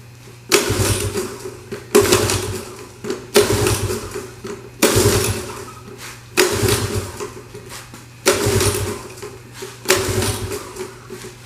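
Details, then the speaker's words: Honda ATC 70 (about 1983), rebuilt after blowing up, float bowl primed, choke on; repeated cranking bursts every ~1.5 s, never catches; no start. "Alright, so that was a bit unsuccessful. What we're gonna do now is we're gonna check to see if there's gas on this plug."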